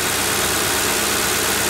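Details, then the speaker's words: 2009 Ford Crown Victoria Police Interceptor from auction, 4,624 idle hours, idling: even steady idle, no thunking from the crankshaft/bottom end that could indicate a spun bearing, only normal injector tick; engine sounds healthy. "But there's nothing on this one. This one sounds good. Make sure she revs good."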